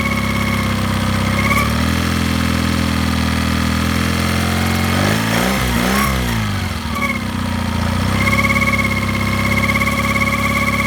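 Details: Mercury 9.9 Pro Kicker outboard at low rpm: steady low hum with a whining overtone that dips and recovers; owner suspects a bearing noise, cause unknown.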